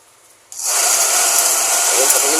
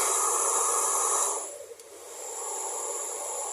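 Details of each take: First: Taiff Ion hair dryer on 220 V switching on: loud hissy air rush with faint wavering hum; blower noisy and weak, unit to be opened and cleaned. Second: Taiff Ion hair dryer, previously noisy and weak, after repair (wire rerouted, shim refitted under the motor): smooth airy rush with no rattle, a brief dip at a setting change, then steady; noise gone, heating normally, running cleanly.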